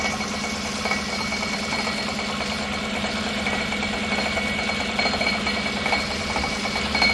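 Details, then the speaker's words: 2016 Tahoe 5.3 V8 with 140,000 miles, no check engine light, idling and heard from underneath: a loose, tinny, uneven metallic rattle over the engine note. The driver-side catalytic converter's insides are crumbling. "all right we are underneath you guys hear that sounds like it's in the cat"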